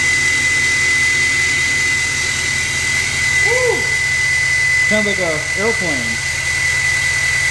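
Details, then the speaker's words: 2024 GMC Sierra 2500 AT4X Duramax L5P diesel, new turbo, not yet tuned, check engine light on: steady high, thin whistle over a quiet idle, like a jet at rest; very loud but normal new-turbo whine. "the new turbo car really changes the sound of this truck. By the way, it is really, really loud."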